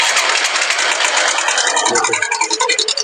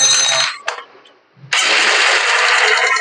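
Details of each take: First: Honda Shine motorcycle engine at light idle: fast, uneven metallic ticking rides high, a loose chain rattle pointing to a worn cam chain tensioner. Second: Honda Shine single-cylinder bike after replacing stretched cam chain tensioner to cure knocking noise: fires after brief crank, settles into steady even run with no ticking or knocking; healthy.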